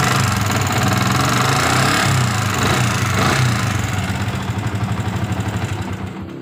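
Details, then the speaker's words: Yamaha Vixion NEW motorcycle brought in for rough noise, started before teardown; coarse pulsing at about three beats a second fading as it winds down; possible sources dynamo or starter when electric start used; dragging starter motor suspected. "oke seperti itu kira-kira suaranya jadi ini ada beberapa kemungkinan yang bunyi hai pertama dari dinamo itu sendiri waktu double elektrik itu dinyalain itu juga bisa bunyi"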